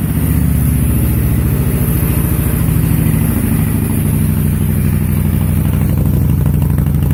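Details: 2005 Honda VTX with Cobra slip-ons and newly fitted air intake, cold: steady, deep, loping idle through loud pipes, even and unbroken while warming up. Healthy; carb to be fine tuned once warm.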